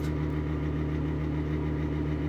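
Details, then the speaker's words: Exhaust fan running on bad bearings: steady low rumbling drone with a rough, gritty hum, sounds awful but still works. "sounds awful, but at least it still works."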